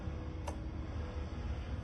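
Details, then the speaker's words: Comfort Zone 9-inch metal cradle fan, stopped working 2 hours after arrival: the motor got very hot and now just hums with one sharp tick as it tries and fails to turn; motor seized. "Now turn it on. You can hear the motor humming. Engines seized up. The motor seized up."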